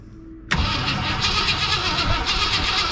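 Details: 1965 Lincoln Continental that sat for years, with a new gas tank and confirmed spark, primed with fuel: a steady whirring crank that never catches. It cranks but won't start.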